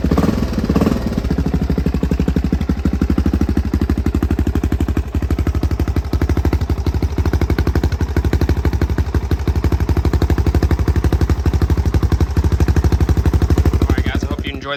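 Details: Suzuki DRZ400SM single-cylinder just after an oil change with 10W40 full synthetic: even thumping idle at a steady, quick beat for several seconds before shutting off. Healthy and smooth.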